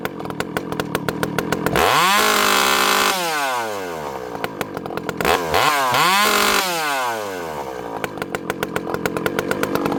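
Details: Vintage 064 chainsaw, rebuilt (ported, new piston, new clutch) with a new carburetor replacing a bad one whose low jet wouldn't tune; warmed up, idle raised slightly. Steady popping idle rises to clean screaming revs, returning quickly and consistently to a nice idle.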